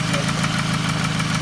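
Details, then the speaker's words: 2006–2008 Toyota Camry 2.4 at idle: a quick, even tick of about six or seven per second. Replacing a lifter didn't fix it; the owner suspects a manifold leak, which is unconfirmed. "uh i change a lifter it doesn't work still noise now finally figure out this intake manifold noise let me let me start in here"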